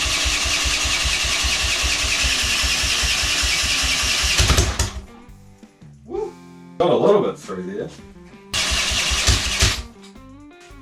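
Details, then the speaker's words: Triumph Tigress scooter under restoration, first start attempt with little fuel left and no throttle cable fitted: fires and runs with quick steady pulses for a few seconds without revving, then cuts out; fresh first start. "Got fire. That sounds sick. So, I'm uh dead happy with that one. Fired up. Not for long."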